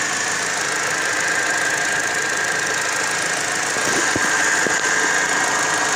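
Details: Car engine with the air conditioning switched on: a steady high-pitched squeal rides over the running engine whenever the AC is on; the source is not stated.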